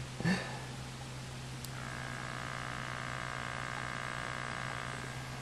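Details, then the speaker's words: Hand-wound 400 VA toroidal transformer kit crudely potted in silicone, about 10 dB quieter, starts with a low hum that swells to a harsh buzz under a 10-ohm load at about 1.5 A; a half-wave rectifier is suspected. "the silicone I didn't do a measurement but it's probably improved it about 10 DB but it's still pretty noisy under load as you'll hear"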